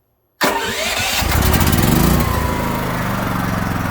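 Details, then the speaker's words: Generator running on gasoline, battery and idle-control switches on, start button held until it cranks: brief crank, catches and settles into steady even idle, no knocks or misses; normal start. "Now you're going to push and hold this button. That's the start button until it cranks over, and then you let go."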